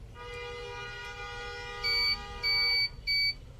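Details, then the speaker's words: Sony Trinitron CRT TV with picture but no sound: meter continuity test on the 8-ohm replacement speaker gives steady buzzy tone then three short beeps, showing the coil intact, while the original speaker reads nothing; normal speaker continuity. "দেখতে পাচ্ছেন এটা আসলে sound করতেছে, মাপ দেখাচ্ছে, but অরিজিনালটা কোনো মাপ দেখাচ্ছে না।"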